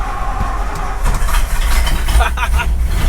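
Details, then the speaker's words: 1964 Ford Galaxie 500 first start after sitting 15 years, new condenser and points set, distributor cap refitted, battery connected: catches quickly and settles into deep steady idle, no ticking or knocking; fired right up, running clean. "this thing last ran we got the condenser in if anything just fired right up pretty incredible actually"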